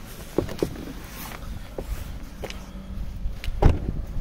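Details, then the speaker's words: 2013 Kia Cerato second generation (TD). A metallic knock heard near the dashboard is caused by a worn left hood hinge with play; rocking the hood produces sharp isolated knocks. The hinge is to be replaced. "проблема в петли капота она ведет дела вот он противный этот стук"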